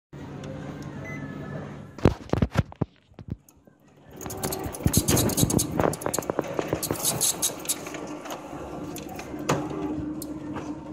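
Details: Toshiba e-Studio 4555c MFP running with clicks, clunks and a fast, uneven squeak from a dry upper exit roller; fixed by lubricating the roller with WD-40.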